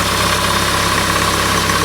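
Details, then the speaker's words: 2008 Honda CR-V 2.2 i-CTDi diesel idling after replacing the alternator freewheel clutch pulley: steady even diesel idle, smooth low drone, no whine or rattle; noise gone, normal. "and everything's okay so you saw now the job it's not that complicated"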